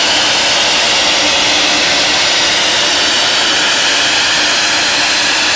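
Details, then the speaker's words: Ingersoll Rand SSR 40 hp rotary screw air compressor, 30,824 hours, on 460 V three-phase power: steady even rushing roar with constant airy hiss, no knocks, rattles or surges; running normally. "Here we have an Ingersoll Rand 40 horsepower rotary screw air compressor. We got it hooked up to 460 volt, 3-phase power. We're going to run it and show you that it works."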